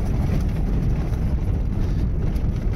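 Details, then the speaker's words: 1998 Volvo T5M five-speed manual driving over cobbles after installing upgraded dashboard mounts: only low road rumble and a little wind, no dash chattering; rattle fixed. "But listen to that. It's like a brand new car, man. Unbelievable."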